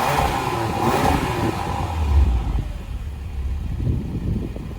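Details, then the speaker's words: 2020 Porsche Macan base, driver-side muffler, after replacing the loose electronic exhaust valve spring: several clean revs with a smooth exhaust growl and no metallic clanging from the muffler valve; rattle fixed. "I actually hear a little bit of a growl out of the muffler instead of the constant banging."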